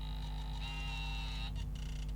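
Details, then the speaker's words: Fujifilm FinePix S20 Pro camera autofocusing: thin high whir that shifts pitch, cuts out and restarts as the lens hunts; the focus motor is unusually noisy, camera possibly knocked, screen seemingly faulty. "But yeah, God, it's really noisy. I don't know if you can hear that on the camera, but it's whirring away."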